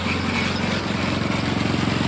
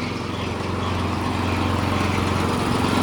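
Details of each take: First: Small engine on a vintage gold trommel wash plant, water pump now on a larger pulley spinning way slower: steady even drone with quick regular firing pulses, no surging; water in the chute, consistent, less pulsy; 3/4 to 1 inch line upgrade planned. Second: Small engine on vintage gold trommel after starter clutch fix and new seal against air leak; pump spun fast, high steady drone with faint pulsing, flow worse the faster it goes; water pump overspeed with low flow.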